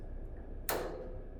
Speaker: until you hear that click. The pilot light will turn off, and that's it, no more fire.